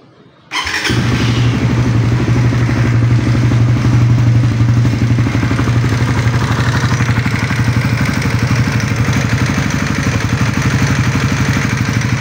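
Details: 2024 Suzuki Raider 150 Fi motorcycle started after installing a TRC Racing CNC oil filter cover, checking for leaks: fires up and settles into a steady, even low thump about three beats a second, no knocks; healthy idle, no leaks.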